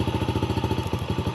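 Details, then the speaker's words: 2019 Yamaha TTR50 single-cylinder dirt bike at idle: choppy, uneven beat with brief cut-outs where firing drops; cause found to be spark plug boot end arcing against the engine, fixed by trimming cable, new connection, dielectric grease. "see that listen hear it hear the bike cut out so what I discovered was the end of this boot right here is shorting out against the motor"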